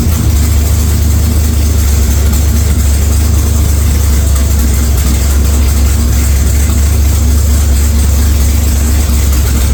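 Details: 1946 Chevy truck rat rod engine at idle: deep, loud, steady exhaust rumble at an even idle with no knocks or misses; running normally, just loud; oil pressure took a while to come up after start-up, cause unknown.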